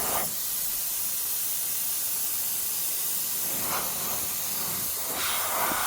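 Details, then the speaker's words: Truck after re-piping the differential lock air feed under the dashboard: loud steady hiss of escaping air venting pressure after an air line blew off a fitting not tightened to crush the olive; air alarm triggered. "makes a right row when the bloody airline pops off."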